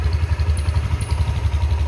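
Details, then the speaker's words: Old-model Honda Vario 150 injected scooter at idle: low, irregular stumbling pulse instead of a smooth beat, unable to hold idle; the engine dies when the throttle is snapped and only revs if opened gently. "suaranya itu agak brebet nah ini dari suara itu aja sudah kelihatan kalau ada beberapanya yaitu tidak bisa langsung jadi pincang ini"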